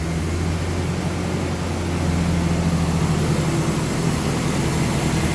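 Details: Toyota Hilux, 370,000 km, after harmonic balancer replacement, idling in neutral during coolant flush, warming up: steady low drone with even, unhurried beat, no knocks or rattles; healthy idle.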